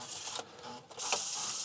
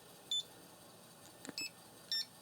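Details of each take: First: look it's spinning properly so that's a good sign and we'll just let this sort of go through a cleaning cycle here Second: Floppy disk drive under read test, spindle deliberately slowed, disk formatted on a known working drive: three short high beeps at uneven gaps over a quiet hum; read errors from slowed spindle, tracks no longer reading a consistent 30 sectors.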